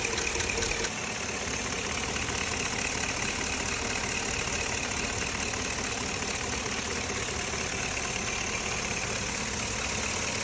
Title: Ticking noise! 2005 avalanche 5.3 L. 90,000 miles.! #mechanic #chevrolet